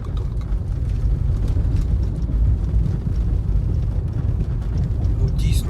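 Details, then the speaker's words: Nissan Leaf heard from the cabin on a concrete slab road, after refitting the original front strut mounts in place of aftermarket Kayaba ones: steady low tyre rumble over the joints with no knocks or clunks; suspension now quiet. "Супер. Вона їде, я не чую ніяких стуків. Тупо як м'ячик надувний катиться."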